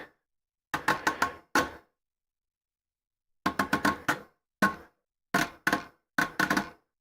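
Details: Prusa MMU2S clone on Voron Switchwire under Klipper, homing: clusters of three or four quick sharp knocks then pauses, repeating, from the drum; owner suspects motor skipping; knocking while homing.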